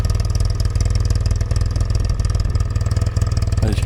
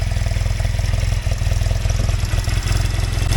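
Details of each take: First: Yamaha TX750A twin idling on a very hot day: steady, even thumping idle about four beats a second, no misses or hunting; owner notes slight ticking from tappet adjusters; normal idle. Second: Yamaha TX750A parallel twin on a very hot day: steady lumpy idle with light, quick ticking from tappet adjusters, considered normal clatter rather than anything deeper.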